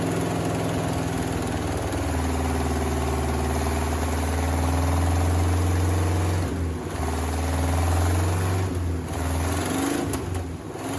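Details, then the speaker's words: 1979 Chevy C30 starting after eight years sitting: catches and runs rough, revs surging and sagging with stumbles; carburetor floats were stuck, freed before retrying. "i'm trying to start it yeah to see how it starts and run our floats are stuck now i got my float on sticker out though okay try again"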